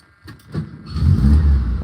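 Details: 1967 VW Splitscreen camper, right-hand drive, test start after reassembly: a brief crank, then the air-cooled flat-four catches and swells into a steady throaty run before cutting off; it starts cleanly.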